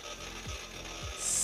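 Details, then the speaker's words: Desktop hard drive in a Core2 NEC tower with an HP motherboard, during boot: quick dry scratching and rasping seek noise, which is normal as the machine starts correctly. "donc je sais pas si vous entendez gratter comme ça le disque dur qui fait gratte gratte gratte gratte mais"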